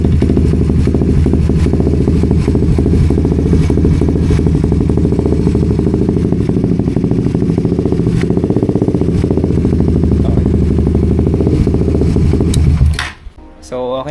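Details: Suzuki GSX-S150 single-cylinder after fuel filter and fuel pump O-ring replacement: steady, even idle with regular low thump and no misses, then clean shutoff; normal idle.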